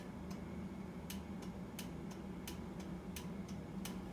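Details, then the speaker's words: 1990 Harley-Davidson FLHTC Evo: turn signal module bypassed with two relays, flasher relays clicking evenly at about 1.5 per second over a low hum; signals now working normally. "I got the signal lights working i bypassed the the signal light module with two relays"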